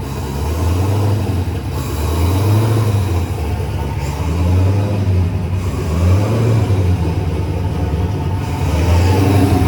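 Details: Turbocharged Chevy S10 at fire-up, with the idle screw readjusted after it had likely thrown off the IAC and idle and caused an odd start: a deep V8 rumble settling into a steady idle with only a slight waver; running fine.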